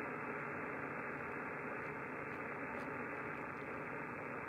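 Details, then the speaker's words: Yaesu FTdx5000MP receiver with power-line noise on 20–10 m: a steady hiss and no clear signal with the noise blanker level set too high. The noise is cleanest with the blanker at 5. "that noise coming in so higher is not always better it's cleanest at 5:00"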